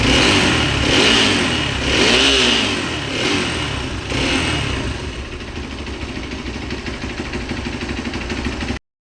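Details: Hero XPulse 200 after the clutch cover was opened and the balancer gear replaced with its timing dots aligned and the strainer cleaned: the engine blips a few times, then settles to a smooth, even idle with no knock.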